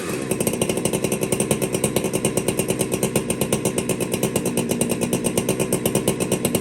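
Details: Warm chainsaw, air cleaner cleaned, low jet set to one turn out: fast, even idle pulsing with a slightly hunting, thin edge. Uneven idle; suspected a little lean on the low jet, possibly starting to starve for fuel.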